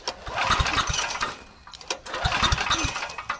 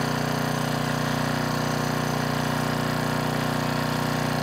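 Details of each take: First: Trash-rescued Generac 5000 W generator with a new carburetor: two short cranking bursts catch briefly with a few pops, then die. The kill switch is miswired and has continuity that grounds out the ignition. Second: Trash-rescued Generac 5000 W generator on its final test after a new carburetor, tuning to 60 Hz and a kill switch fix: a steady, even drone at constant speed with no misses, knocks or surging. Normal running under governor control.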